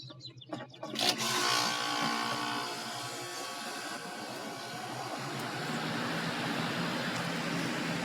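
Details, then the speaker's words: Goodman outdoor AC condenser on spring startup, compressor capacitor reading slightly low (about 41 vs 45): a click at start-up, then the compressor and fan settle into a steady, even hum and whoosh while pressures are read. Running normally. "let it run for just a few moments here to get a good pressure reading"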